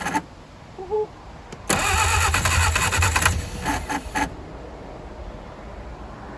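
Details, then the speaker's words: 1959 Reliant Regal three-wheeler, first start attempt in over 20 years with two-stroke fuel added for top-end lubrication, timing uncertain: cranking with uneven catches that never run; fires but won't run, flooded carburettor. "Oh man, she is so close to running. Oh yeah, you can definitely smell she's fired a couple of times now."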